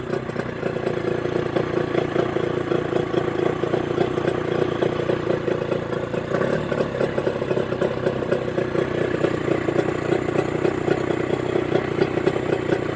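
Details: Mercury 25HP two-stroke outboard in neutral after Boyesen power reeds installed: even, fast putter holding steady speed without stumbling or hunting while idle is adjusted; running well.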